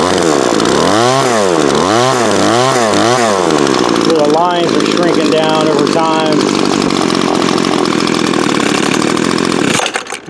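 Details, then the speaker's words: Older Craftsman 24cc 17-inch two-stroke gas trimmer, thrift-store find: quick throttle blips rising and falling, then steady high buzz holding revs cleanly; runs well, only needs new fuel lines. "actually runs really good pretty good weedier with some new fuel lines on it"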